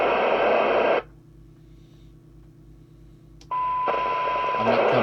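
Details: Team TSM404UK CB27/81 mobile CB radio (1990) during service, squelch check at minimum sensitivity with a loosely coupled signal generator: loud hiss cuts to near silence, then snaps open with a steady tone straight away; squelch threshold set correctly.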